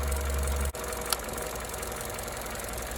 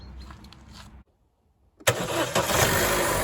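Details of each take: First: 2014 Opel Corsa D 1.4 petrol at idle with the engine cover removed: a steady idle interrupted by a sharp click and a brief engine shudder, high voltage from the cylinder 4 coil pack arcing to the engine block instead of the plug; the coil pack needs replacing. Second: 2014 Opel Corsa D 1.4 after replacing the coil pack (cylinder 4 coil was shorting to the block, causing idle RPM fluctuation and vibration): engine catches at once into a steady even idle, much smoother than before.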